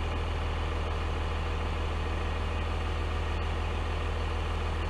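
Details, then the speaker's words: Freightliner FL70 diesel idling, not yet warm, with new Donaldson exhaust (four-inch pipe off the turbo): deep, even rumble about 200 beats per minute, no rasp or leak; sounds like a Dodge pickup. "if you were to turn around and not look at the truck and hear it idling it would sound just like a dodge pickup or you would think it was a dodge pickup"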